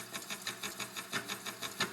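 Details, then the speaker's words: Slitting saw cutting steel at 8 mm full depth of cut: quick regular tooth ticks about six a second with an occasional heavier intermittent clunk; suspected one or more dull teeth, not confirmed. "do you hear that like an intermittent clunk so probably one of those teeth has gone dull maybe more than one"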